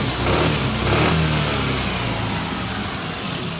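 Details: Suzuki Burgman scooter that had no idle and died when the throttle was released, after the basic idle adjustment: the engine ticks over at a steady, even idle with no hunting or dying.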